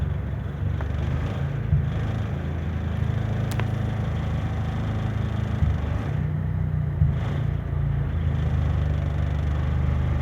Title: Corolla misfire